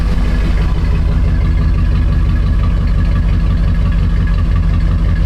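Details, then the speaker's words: 2006–2007 Jeep Grand Cherokee 4.7 V8 after fixing a misfire at idle (not coils, plugs or injector; a fouled plug was found), warming up: steady, even exhaust note at the tailpipe with a smooth low rumble and no stumble; the engine now idles cleanly. "Got a nice even tone, got good exhaust juice coming out of it."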